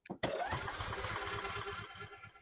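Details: 2012 EZGO TXT gas golf cart that quit running, has spark and fuel, after fitting a new carburetor, fuel pump and fuel filter: starter spins the engine in a quick, even chug that tries to catch but never settles; cranks, no start.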